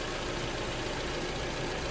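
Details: 2011 Toyota RAV4 idling after replacing bad alternator and belt, charging at 13.6 volts; steady even idle hum with light hiss on top, no squeal or knock; normal idle after repair.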